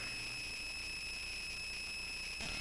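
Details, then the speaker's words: Audio output: steady piercing high whine with fixed tones, continuous; source unclear. "all right and I'm going to meet that because that is a very annoying sound and I'm not quite sure Watson noisy"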